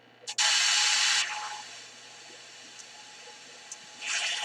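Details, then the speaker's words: Sony ICF-2001 radio set to FM. Loud hissing static bursts come and go over a faint steady tone, and the volume won't turn fully down. The owner suspects the two switching transistors; not confirmed. "Can hear the interference. Turn down the volume here. Put this on FM."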